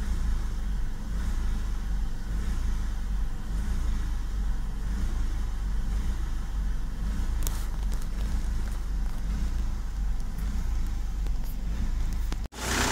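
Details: Vauxhall/Opel Astra H Mk5 common rail diesel at idle: diesel clatter with a slightly uneven, lumpy beat instead of a smooth steady tick; rough idle, cause suspected, not confirmed.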